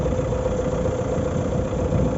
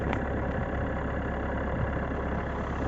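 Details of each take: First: 2019 Renault Megane IV 1.5 dCi K9K 872 diesel, warmed up after about five minutes: steady, even rumble with no noise from the front pulleys; the cold-weather noise was caused by a faulty crankshaft damper pulley, since replaced. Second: 2019 Renault Megane IV 1.5 dCi K9K 872 turbodiesel, cold start below freezing, idling: dull uneven rattle under diesel clatter from right side of engine bay for 3–5 minutes until warm; failing crankshaft damper pulley, replaced.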